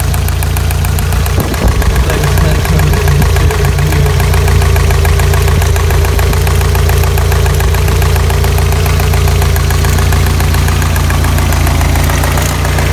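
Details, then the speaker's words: Warm idle after about 10 minutes on a 1985 Toyota Pickup 22R 2.4, after a fuel filter change: a light, fairly fast top-end tick, about three or four per second. Owner suspects lifter noise, chain slap or bad guides; not confirmed. "Got some lifter noise here, or maybe chain slap, bad guides, or maybe lifter noise."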